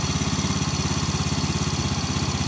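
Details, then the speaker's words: Fuel-injected Yamaha Fino 125 scooter that bounced between workshops with low-rpm stutter and held-back power: at idle with no throttle it sits high around 1900–2000 rpm, drifts down, then rises again irregularly. The cause is a wrong fuel injector fitted. "1900 2000 rpm ya. Padahal tidak saya apa-apakan untuk gas, saya diamkan, tapi RPM sendiri cukup tinggi. Nah dia berangsur turun ya, turun sendiri, tapi kadang-kadang dia naik, tidak teratur untuk RPM-nya."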